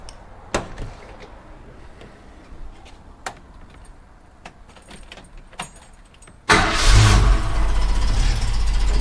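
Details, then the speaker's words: 1965 Ford Mustang V8 with an Edelbrock carburetor: a few clicks, then it fires into a lumpy, uneven, tractor-like idle with the engine visibly shaking. Blocked carb idle-circuit passages are starving several cylinders. "so yeah you can see it's shaking if you come around the back Steve you can hear the listen to the exhaust note and it's sounding more like an old John Deere trctor than a than a Mustang"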